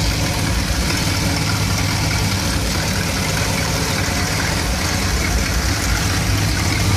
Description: Issue with 1975 Dodge B200 Tradesman 200 Mopar 360 5.9L small block 2bbl rough idling and stalling when warmed up. Just changed ignition coil and, although it didn't stall, you can see it still rough.